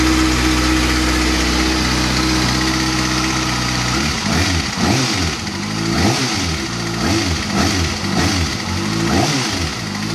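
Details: 2013 Kawasaki ZX-6R, new: steady idle then throttle blips with a light, fast, fairly loud ticking on top; owner concerned, source unclear.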